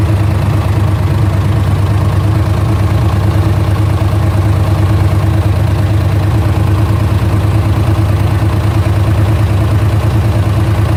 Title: LS1 Ticking Noise